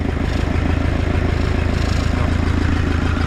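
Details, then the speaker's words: Nissan Pathfinder diesel first start after an engine swap and reinstall; steady, even idle clatter, running perfectly round, with a faint puffing from a small exhaust leak; normal idle. "Putain, il tourne parfaitement rond. Il y a une petite fuite à l'échappement là, on entend vite fait."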